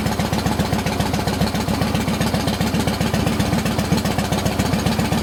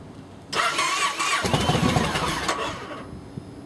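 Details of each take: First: 2007 Yamaha Roadliner V-twin after patching its cracked fuel pump housing: fires right up and holds a strong, regular, steady idle with no stumbles. Normal running. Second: Yamaha V-twin with cracked fuel pump housing, reluctant to start, fires after sitting a minute, then a ragged, stumbling, uneven idle; rough idle from fuel delivery fault.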